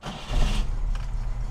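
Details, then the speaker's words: 1991 Moskvitch IZH 412 sedan, carbureted, cold start after priming with the fuel pump hand lever, choke a quarter out: short crank catches almost at once into a deep, even idle without stumbling; healthy cold start. "check this out start it up just like a fuel injected automobile"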